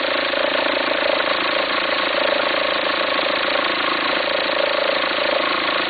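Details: 2004 VW Passat 1.9 TDI diesel at idle: steady clatter with a raspy, farting rumble beating about three times a second. Belt appears to jump when it occurs. Owner suspects a worn pulley, unsure whether to replace the pulley or the whole alternator.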